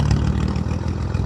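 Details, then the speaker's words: 1954 Nash flathead six, first start after head gasket replacement with new spark plugs, head torqued, 6-volt booster: low, even idle with soft steady beat, no knocks or misses, a little smoke; smooth as silk. "that's nice. Yeah, I'm happy with that. Let's turn this off. Oh, it's gonna smoke a little bit. Smooth as silk."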